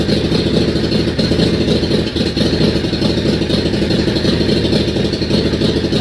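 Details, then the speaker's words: Yamaha Virago XV535 twin, first start in months with a charged battery and fuel pump: rough, lumpy running with loose clatter, holding fast revs on choke, then dying; cold start on choke, owner believes it is out of fuel. "So here we go. There's fuel pump. Give it a bit of choke."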